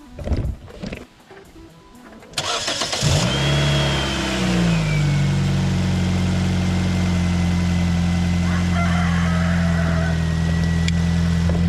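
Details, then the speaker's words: 2005 Nissan Sentra after new ignition coils, spark plugs and MAF sensor: cranks briefly, fires right up and settles to a steady, even idle. The deep, loud exhaust is from a muffler still needing repair. Normal start and idle. "All right, as you see, fires right up, no problem. Just a little bit loud because we got to fix that muffler still."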